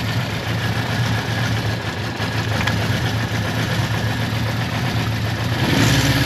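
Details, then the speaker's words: Suzuki GS550T, first start after about 10-15 years, carbs ultrasonically cleaned: engine barely ticking over at a low, slightly uneven idle, needing choke to keep running; idle speed set too low, to be adjusted. "so it needs a bit of Choke so it's running and I'm really shocked with that but uh it needs a bit of Choke to keep running so I just speed is a bit low I'll adjust that now in a second"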